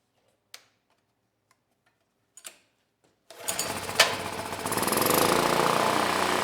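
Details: PowerMate generator (model PM0123250) that ran but made no power, fitted with a Predator AVR: after a few clicks the small engine fires and holds a steady, even drone. Voltage adjusted to 121 V, now generating normally.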